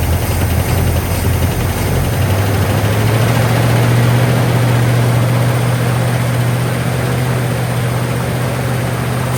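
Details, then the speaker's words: 1959 Cadillac flattop sat for years, started with only fresh gas added: loud raspy uneven drone at raised cold fast idle, holding speed; engine runs well but exhaust sounds terrible. "As you can see, she's running like a champ right now. Exhaust sounds absolutely terrible, but she runs and she runs good."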